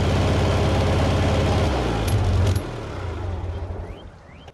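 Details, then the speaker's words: $300 Bobcat skid steer, run five years without oil changes, after carburetor fuel work: lumpy, stumbling idle before dying; seems to run on three cylinders, distributor suspected. "so it runs, but I think it's running on three cylinders. And I suspect that it's the distributor."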